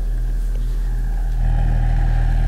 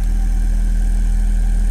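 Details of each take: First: Alesis M1 Active MK2 powered speaker, the known-good right speaker, playing a test tone after repair work: a steady deep hum with soft port air rush. Clean and even, working normally. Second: Alesis M1 Active MK2 speaker playing a 35–40 Hz test tone: deep steady tone with an airy buzz; air leaking from the cabinet around the rear volume control knob, defeating the ports.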